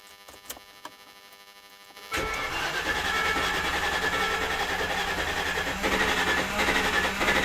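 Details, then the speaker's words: Land Rover Discovery 2 that sat for three years with a bad misfire, first start with the battery just reconnected: even starter churn about 3.5 beats a second that doesn't catch cleanly. Air in the fuel line is suspected; it later runs smoothly. "That's not good. Probably still air in the fuel line."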